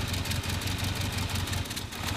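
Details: Cold start on a 400 hp 1993 Volvo 940 turbo wagon, stock 2.3L redblock four-cylinder: uneven, lumpy idle with a low chuffing beat about five per second and a skip in the rhythm, puffing smoke; one cylinder dead.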